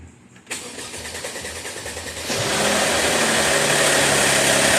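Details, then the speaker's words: 2013 Mercedes ML350, naturally aspirated, with extended cranking, timing codes and check engine light: about two seconds of cranking with rapid rattling clatter that fades once it fires; loudest cam phaser rattle while oil pressure is near zero at startup. "so we're getting phaser rattle noises being the loudest when we have no oil pressure"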